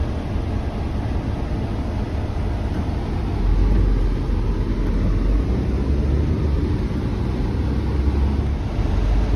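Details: 1972 Peterbilt on Duramax diesel chassis swap; deep steady diesel rumble holding an even note, no stumble, knock or hunting; earlier stalling traced to coolant temp sensor, unplugged; normal running.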